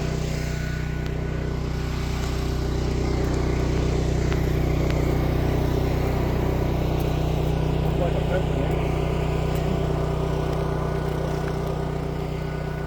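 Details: Generator on its weekly run: smooth, steady low drone with an even beat and no stutter or sputter; running normally.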